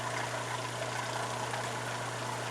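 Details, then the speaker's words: New replacement Surflo 4008 Revolution 3.0 diaphragm water pump in a camper, running dry with no water in it, which it tolerates: a steady, even hum and smooth whir with no knocks or surging, about 66 dB on a phone app. Running normally. "now let me actually close this and the reason why it's still staying on is because I don't have any water in it but it can actually run dry not a problem"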